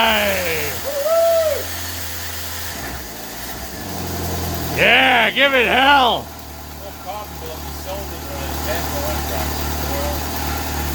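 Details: 1995 Jeep Wrangler YJ with new electric fuel pump and Flowmaster-style high-flow muffler fires up after years off from a bad fuel pump and rotten gasoline; revs up and down in clean sweeps, settling to an even idle, smooth and healthy.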